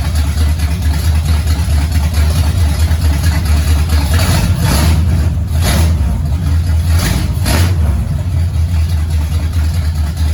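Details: 1969 Pontiac GTO barn find with a 400ci V8 and a TH400 that needs rebuilding: deep, even V8 rumble rising cleanly with throttle blips and no knock or miss. The engine runs healthy.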